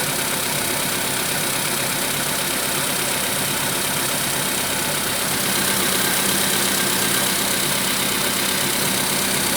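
Idle carries a regular light knock about three per second riding over the engine hum, left after piston work, cause unclear.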